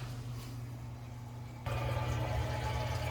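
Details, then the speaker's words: New Acquaer sump pump, 90 gpm at 10 ft head, office building: steady low motor hum starts and jumps in level, smooth and even with water flow; draining normally, though the level sensor seems to short-cycle later. "And it looks like we are draining, and it sounds like we've got success here."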